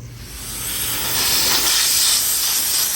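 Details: Vehicle AC system pressurised with nitrogen after a big vacuum leak, new compressor fitted; loud steady hiss of escaping gas, no motor running; leak at an untightened, possibly cross-threaded, rusty flare fitting missing its copper washer.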